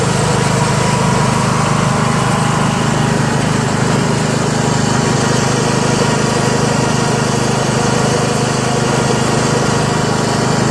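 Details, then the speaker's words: Yard Machines MTD lawn tractor, 20HP Briggs single-cylinder OHV, CVT, test ride after magneto bypass and deck repair, low on fuel: steady even drone under load, no misses, surges or knocks, pulling cleanly; healthy. "very smooth very good tractor even though it's a pain in the ass to work on runs nice to feel the horsepower smooth"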